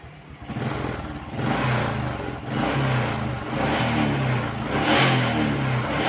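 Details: Honda single, revved in repeated blips after the leaking fuel-tap vacuum line was fixed. It revs cleanly and settles without stumbling; the stutter and plug fouling were caused by fuel flowing through the vacuum hose.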